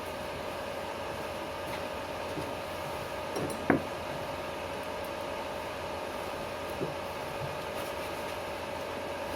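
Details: Stark 160KS welding inverter welding with its casing removed: only a steady, even arc hiss with no deep hum underneath; quiet without the casing, whereas it hums once the casing is refitted.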